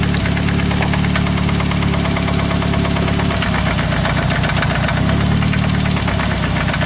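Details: Engine at idle: a sharp, regular metallic knock keeping time with the idle, changing when cylinder one's coil is pulled; rod knock pinpointed to cylinder number one.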